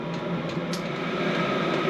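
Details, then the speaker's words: HCALORY Bluetooth diesel air heater starting up while testing for cold-weather camping, moving from the ignition phase to heating. A steady, even rush of fan and burner noise with no knocks, misfires or squeals: normal startup. "So we'll let it kind of do its thing and get fired up."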